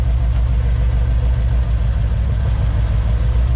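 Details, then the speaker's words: 1988 Ford Mustang GT V8 at idle, rough and puffing from misfiring cylinders; each plug's spark is diverted to the battery in turn, and the idle changes when a working cylinder is killed but stays the same on dead ones. "Hear it change? Yeah. So that cylinder's running. That cylinder's working."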